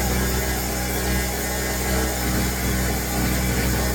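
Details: New Pulsar 1200W portable generator, just out of the box, started with the choke closed: a steady, buzzy high-revving drone with a slight sputter, like a weed trimmer; it runs normally.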